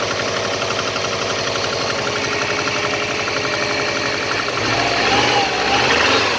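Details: Subaru EJ205 turbo, over 200,000 km, about −15 °C outside: cold idle has a sharp regular tapping knock, about four a second, with a rev blip; it seems to fade once warm. Oil changed every 5–6k km, no oil use, compression 13.5–14, boost 0.7; cause unconfirmed.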